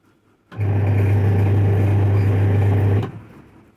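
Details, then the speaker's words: Washing machine running with a loud, steady low hum and rough buzzing edge, getting worse over two to two and a half months; worn gearbox identified as the main noise source, to be replaced. "और ये ज्यादा जो noise create कर रहा है वो कर रहा है ये गियर बॉक्स इस गियर बॉक्स को हम लोग रिप्लेस करने वाले हैं"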